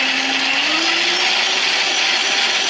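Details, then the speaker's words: Kid's Ryobi Gator ride-on, 18V dual batteries with PWM controller, first test fire in first gear with knob turned up: steady high electric whine rising slightly in pitch as the motor comes up to speed, smooth and even; normal. "Hear it ripping, boys? That's first gear."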